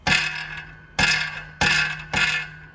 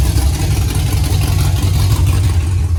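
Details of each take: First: 5th-gen Camaro V8 after broken-piston repair, DOD/AFM delete and cam install, exhaust removed: sharp metallic clattering bursts with each shake of the header; a spark plug was found stuck between the header tubes. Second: 5th-gen Camaro V8 on its first start-up after broken-piston repair, DOD/AFM delete and Texas Speed 224R cam, no AC belt because the compressor is gone: loud, deep, steady fast idle with an even lope and no misses or knocks; running normally.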